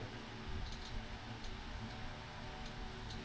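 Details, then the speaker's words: Fog light relay on shop truck LED fog light install, ignition on, relay ground clipped to battery negative: faint sharp clicks as relay switches and lights turn on; normal. "my lights turn on. You hear the relay clicking."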